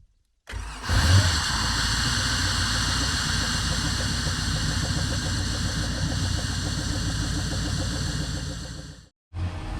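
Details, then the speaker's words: Volvo Penta 8.1 GI (496) marine V8 shakes at idle, uneven lumpy loping pulse about 3.5 per second, and only reaches about 2800 RPM; spark ruled out, misfire traced to a clogged fuel injector. "It's running very oddly. It's shaking at idle and it is not making RPM. It only makes about 2800 RPM."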